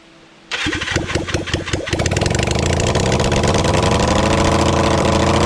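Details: Kawasaki Zephyr 750 under restoration, carbs fitted, refuelled, started with a bit of choke and string as throttle: starter cranks, engine catches after uneven firings, then settles to steady even four-cylinder idle. Runs fine.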